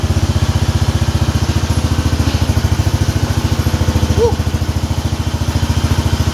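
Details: Cub Cadet 2146 garden tractor, single-cylinder, after transmission repair, driving under its own power: low, even thumping at steady fast beat with a few light rattles on top; engine runs and drives normally.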